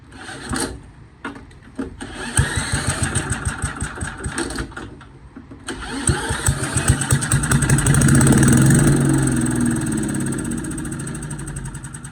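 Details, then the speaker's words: Boland's 3.5 chipper shredder, unused for at least 20 years, being tried on its carburetor: uneven cranking and coughing catches, then a brief ragged run that surges and fades; a massive vacuum leak is spotted and the hose is to be replaced. "That's going to be a massive air leak. So I'm going to fix that. I should say a massive vacuum leak."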